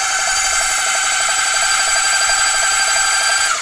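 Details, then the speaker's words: 1978 Kawasaki Z1-R, freshly rebuilt engine back from engine builder, first cranking with spark plugs out to pump oil around: steady high-pitched starter whir, light quick even pulses, no compression strain; normal cranking. "we're going to go ahead and crank it around and see how she sounds when we crank it pump some oil around and then see what we got"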